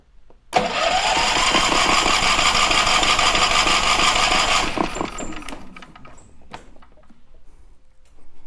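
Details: Champion 3400 dual-fuel portable generator, about two years old, sat nearly a year; after stale gas was drained from the tank and carburetor, the starter whirs steadily for about four seconds but the engine never catches. Cranks, no start on gas.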